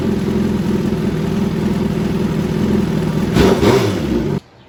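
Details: Steady, even idle with a smooth low rumble and no clicking or tapping before shutoff on a 2013 Suzuki GSX-R1000 Commemorative Edition, restarted during an oil change; the engine sounds healthy.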